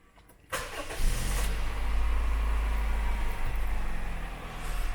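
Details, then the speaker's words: Used-car check: a short crank without throttle, then the engine catches on the first try and settles into a low, smooth, steady idle. Normal start and idle. "Ini step pertama, harus menyalakan mesin tanpa digas atau tanpa lama-lama langsung dikontak hidup. Itu tandanya mesinnya step pertamanya sudah bagus."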